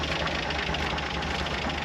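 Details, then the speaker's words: 1973 Jeep CJ5, 258, 3-speed, sat outside 16 years: rough busy idle with rattly gravelly noise from clutch area, suspected pilot or throwout bearing; owner later concludes throwout bearing as it quietens with clutch pedal. "It does have a pretty noisy, sounds like maybe pilot bearing or throwout bearing. But that's to be expected for something that's literally just sat outside for probably all of its life by the looks of it."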